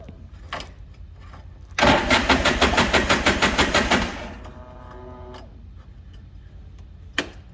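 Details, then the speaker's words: 2008 Polaris RZR 800 after fuel pump assembly replacement to fix bogging and blinking fuel gauge: brief crank, then firm even pulses catch cleanly and settle with no stumble; normal start, bogging fixed. "so fogging fixed idle seems better fuel gauge is no longer blinking it is accurate"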